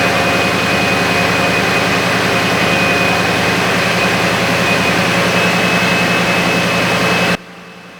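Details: IROC Camaro, early run after repairs: steady, even engine roar with thin whine on top and no scraping or grinding before it cuts off; earlier scraping was alternator fan hitting bracket, now fixed; healthy running.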